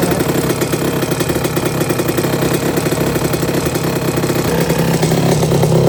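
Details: 1982 Suzuki RM125 two-stroke, freshly restored engine on first test run, cooling water issue noted for later: crisp steady ring-a-ding idle with an even popping beat, no stumbling; engine sounds really good.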